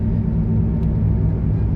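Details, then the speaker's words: Car cruising at 70 with a wheel bearing changed days earlier: smooth, no vibration, but a steady loud drone in the cabin that grows when the accelerator is released; suspected bearing noise, before further repair. "70 पर गाड़ी चल रही है बिल्कुल smooth है but एक ऊंची loudness आ रही"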